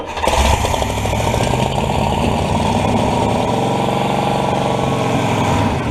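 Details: Buick 455 V8 in an old rat rod mud truck, first start in about 10 years after filling the float bowl and priming the pump: it cranks, catches within a second and settles to a steady, even, low rumble with no knocks. Oil then leaks near a valve cover.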